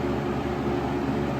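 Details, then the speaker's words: 1996 Lakewood 223 3-speed 20-inch box fan, third-gen with banana blades, before restoration, running on medium: steady even rush of air with a soft low hum, no ticking, rubbing or wobble; smooth, no vibration felt. Normal fan running. "oo that's that is a smooth fan I don't feel any vibration coming from it"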